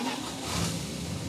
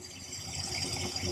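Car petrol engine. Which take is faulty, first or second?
first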